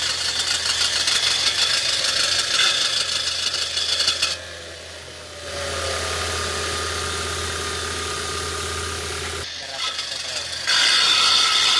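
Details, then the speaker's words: Car idling: loud, harsh metallic whirring grinds in and out because a stuck ignition switch keeps the starter motor engaged; the fix is replacing the ignition switch. "dicho interruptor se quedó pegado haciendo que el motor de arranque se quede prendido provocando que haga el ruido que escucharon"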